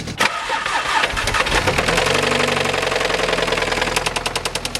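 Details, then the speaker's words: Audi S3 engine idling with a hard, rapid metallic knock in time with the idle, a worn rod bearing with excessive play; the timing chain was checked and found within spec. "so that's what the engine sounds like and all we've really done is diagnosed that it is not the timing chain the timing chain was within specs"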